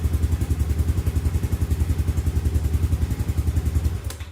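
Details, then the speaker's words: Yamaha Aerox scooter on a newly fitted replacement battery (the earlier 5.5 A battery caused error 12): catches and idles with steady, even beats, then shuts off; voltage climbs quickly to about 12.09 V; normal start and idle. "nah nih Coba kita starter Ya udah pasti aku menyala ya nah ini pas nyala lumayan nih"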